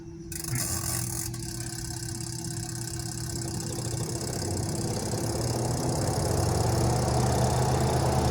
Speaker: está girando no emite ningún sonido quiere decir que con el cambio del resilente pues ya eh recobró vida la la secadora